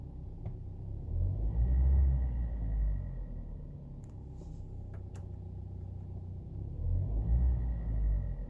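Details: 2012 Hyundai YF Sonata LPI (LPG) engine on a cold idle: low rumble with a loose, fairly fast tapping from the cylinder head area that swells and fades. First thought to be rattling plastic, it grew louder; suspected knock, not yet repaired.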